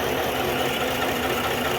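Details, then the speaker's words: 2021 Chevrolet Tahoe V8 at idle, valve cover off, with cylinder 8 misfire code, traction and stability lights on; plugs, coil and HT wire already replaced. Clattery valvetrain and uneven beat come from a stuck valve on cylinder 8. "എൻജിനകത്തെ valve stuck ആയതുകൊണ്ടാണ് ഇങ്ങനെ work ചെയ്യുന്നത് work ചെയ്യാതിരിക്കുന്നത്"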